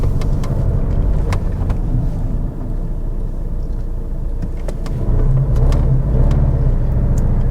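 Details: Vauxhall Insignia 2.0 diesel with heavy vibration, ABS/traction and engine warning lights, on a test drive: an irregular rattle and clatter of about three to four hits a second over the drone.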